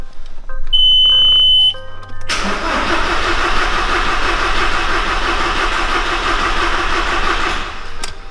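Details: Audi that will not start, cranked with the starter relay/circuit bridged: after a few warning beeps the starter spins the engine steadily about four per second for five seconds, but it never catches. Crank, no start.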